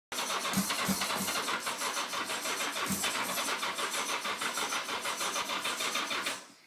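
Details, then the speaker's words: 1982 Yamaha Seca 750 barn find, long stored, carbs cleaned twice, spark and fuel present, airbox off, timing suspected: steady whirring crank about three beats a second for six seconds with no catch; cranks but no start. "she turns over a little bit doesn't really want to start I do have the air box off which may not help"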